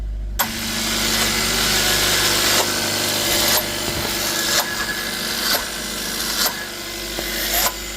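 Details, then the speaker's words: Hyundai Tucson (2019/2020), 102,000 km, rattling noise and power loss on acceleration, engine running rough, hood open: harsh rasping whoosh swelling and cutting about every second; turbocharger off balance and sticking. "So the tobo is off balance and causing it to stick and that is exactly what's causing the vehicle to act up and lose power."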